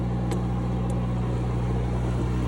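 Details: Cummins 4BT four-cylinder marine diesel generator on a 94' Broward yacht, after replacing fouled injectors that caused smoke, smell and water sheen; now no smoke. Steady, even low drone, no misses, knocks or roughness; normal running.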